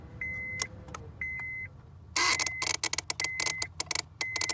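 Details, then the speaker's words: 2007 Honda Civic 2.4L with an intermittent no-start and slow cranking; as the ignition key is turned slowly, a chime beeps twice, then rapid irregular clicking from the starter relay losing power momentarily, traced to a bad ignition switch. "that that's me really going crazy on and off on and off on and off and it's just it's just losing power momentarily"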